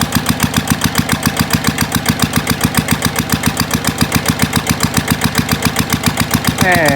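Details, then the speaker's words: GA70 single-cylinder diesel on a water-pump stand after water-contaminated sump oil was drained and the plugged sump drain opened; steady even thump about seven beats a second, no misses or knocks; smooth, healthy normal idle. "เช็คเช็คทุกระบบระบายไ้าระบายแล้วมั่งเครื่องลื่นแล้วเนี่ยนี่ฮะเสียงเครื่องลื่น"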